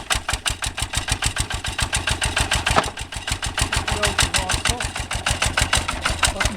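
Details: Completely rebuilt Lister LD1 single-cylinder high-compression diesel, started on a freezing cold day using the cold-start oil plunger: even, steady chuff-chuff beat at a relaxed idle with no stray knocks or misses. Healthy idle.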